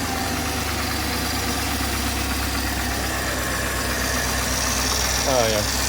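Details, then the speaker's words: 2004 Land Rover Discovery 2 after belt drive system replacement: smooth even idle with steady low hum, the earlier horrible belt flapping gone, no vibrations. "Not noticing any vibrations or anything of that nature. The shiny parts are doing shiny part things."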